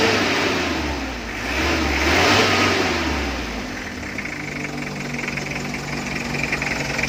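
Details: Mitsubishi L300 diesel after injection pump rotor head and two injector nozzles replaced (was hard starting, stalling, low power): picks up cleanly, climbs and settles smoothly with even clatter, no misses; running healthy.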